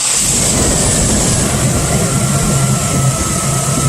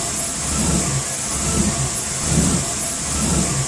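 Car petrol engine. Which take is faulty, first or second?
second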